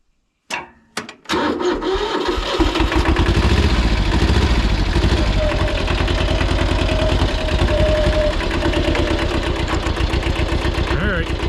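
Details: Mid-1970s Kubota L175 two-cylinder diesel tractor, auction purchase: catches after a couple of cranks and settles into an even, steady idle clatter with no misses or knocks; runs normally.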